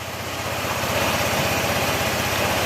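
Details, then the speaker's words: Honda ADV160 at 31,941 km, after engine overhaul with parts replaced, airbox off: quick even idle beat under airy intake hiss, no knock or rattle; engine now quiet compared with before, normal idle. "Ayan tahimik na yung makina niya mga sir. Yung narinig nyo parang may hangin dahil gawa kasi ng ano, wala pang airbox, pero malayo na yung tunog niya kanina nung hindi pa na overhaul o nabubuksan o napapalitan ng pisa. Yan, tahimik na."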